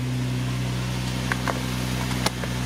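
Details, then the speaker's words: 2004 Infiniti FX35 with hesitation, check engine light and P0507 idle-too-high code idles with a steady low hum around 1500 RPM (should be 800–900) with a few light clicks, never dropping back. Idle too high, before relearn. "oh my God 15 look at the idol it's too high should be around 900 800 900 RPM so I'm not going to do the idol relearn for this"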